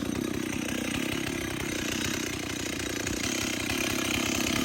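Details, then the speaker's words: Warmed-up chainsaw at a slow, slightly uneven idle; running fine, but the idle is maybe a tad too low now that it's warm. "So now you hear the saw? Nice low idle, maybe a tad too low now she's warmed up. It's lovely."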